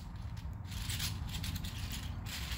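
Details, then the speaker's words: 3D-printed Pinnacle gear sphere, turned by hand: light gears patter and tick freely with no binding; same print but far looser than the stiff one. "and it's the same printout but it's it's far looser and and just feels better"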